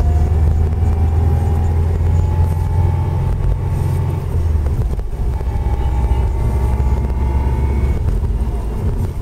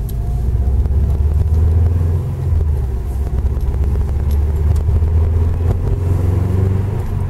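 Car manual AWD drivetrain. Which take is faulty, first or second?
first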